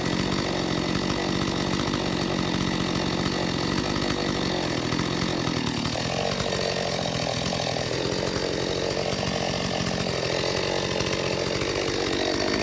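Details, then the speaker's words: Stihl 025 chainsaw after carburetor overhaul and readjustment (one turn open), test run: a crisp, steady two-stroke scream holding even under cutting load. It starts easier, runs about 13,000 rpm at top speed with no load and about 2,800 at idle. "This time saw is much easier to start and uh with the settings back to uh you know one turn open and this turn back down. It runs pretty well."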